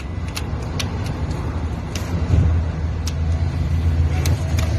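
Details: 2012 Ford Expedition engine knocking: sharp, uneven taps over a low engine rumble and road noise, an occasional knock whose cause can't be pinned down.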